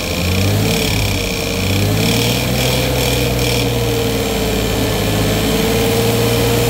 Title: still noisy